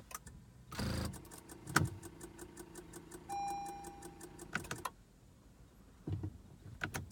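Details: 2015 Acura TLX with random electrical fault, worse in hot weather, battery not the cause, AC and radio off: key turn brings only clicks and a steady dash chime, no starter or cranking; no-crank, chimes only.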